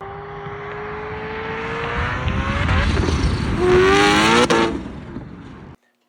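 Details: 2007 Aston Martin Vantage with a Vortech supercharger: under load the engine note climbs, then the RPMs flare sharply without matching the car's pull. The clutch is slipping because oil reached it from a leaking rear main seal, which was then replaced.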